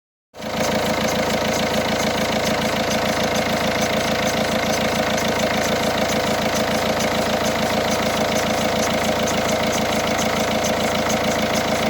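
Cold diesel idle with a fast, steady ticking clatter of about three per second over the engine; cause not yet pinned down.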